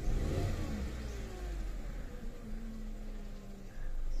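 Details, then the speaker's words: 2014 Hyundai Accent Kappa engine, 115 on the odometer, scan shows no fault codes; ignition coil reportedly already replaced. When revved it stumbles raggedly instead of pulling cleanly, and live data shows a misfire on cylinder 4. "Ayun, pumugak na. So number 4 yung nakuha natin dito na reading, mga sir."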